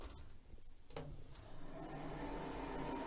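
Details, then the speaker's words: Vevor diesel heater starting in cold weather: fan spins up to a steady whir with faint ticking underneath as glow plugs heat before fuel pump engages; normal start-up cycle. "Okay, now it's going through its cycles here. As you can hear everything starting up. You can hear the fuel pump. That's not on just yet, but we have the glow plugs there on the top."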